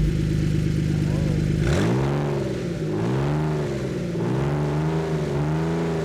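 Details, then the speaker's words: Aging Ford Flex V6 at about 1000 rpm idle with both front flex exhaust pipes removed, exhaust open ahead of the catalytic converters, cold snowy 32°F day: deep, loud, raspy rumble with a few blips; open exhaust roar at idle. "so let's see what this sounds like with uh an open exhaust per se [Music] I kind of like it it sounds really deep and really gnarly"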